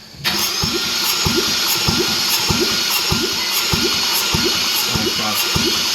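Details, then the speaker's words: 2014 Porsche Cayman that fired briefly, compression test while cranking: even pulses just under two a second, never catches, weak compression strokes; low on more than one cylinder, water ingestion suspected, unconfirmed. "crank it again it's low on this one too which I guess um if it sucked a bunch of water and it would hit more than one cylinders"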